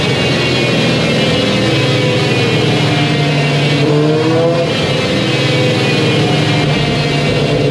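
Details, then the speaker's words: Warmed-up 2021 Kawasaki ZX-10R with Akrapovic full exhaust, baseline wide-open dyno pull before ECU flash: screaming climb whose pitch stalls and dips near 12,000 rpm, then climbs again; factory ECU restriction. "You can actually hear the bike restrict itself. In other words, let off the throttle even though I'm fully wide open. You'll hear it about 12,000 RPMs."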